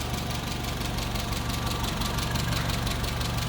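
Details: 1959 Hillman Husky sedan delivery, 1,390 cc inline four, 12-volt system, heard at the open engine bay: smooth, even low purring idle with steady soft beat, no knocks or misses; normal idle.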